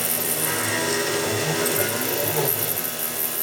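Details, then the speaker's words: Mill cutting RWL34 steel knife blade at about 3600 RPM, 10.5 in/min feed: smooth, even cutting whir, steady pitch, no chatter or squeal, much quieter than before; clean normal cut. "sounds much better already yeah it's having no problem doing these cuts at all so this is uh 34,000 steep we got uh 10.5 in per minute about 3600 RPM much quieter cut than before"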